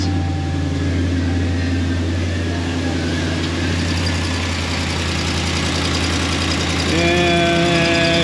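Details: Ram 1500 5.7 V8 idling on first start after fitting BBK shorty headers with new gaskets: sharp ticking puffs about four a second over the rumble, exhaust leaking at the header connection.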